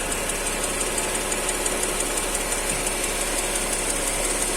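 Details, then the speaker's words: Mercedes M112 engine at hot idle: faint ringing knock about three per second, clearly heard at the exhaust pipe, absent when cold; cause not yet found. "такой звонкий на холодную сразу нету как бы все цокает блинова так на горячую отчетливо слышно хорошо в трубу"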